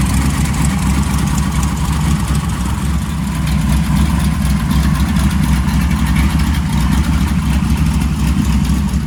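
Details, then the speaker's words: Blown 335hp Ardun flathead V8 swapped into a 1932 roadster, first start after cranking to oil pressure then switching on the magneto: deep, lumpy, loud steady idle with even beat and no miss; normal. "we cranked it over until I had oil pressure hit the mag and we fire it up right away"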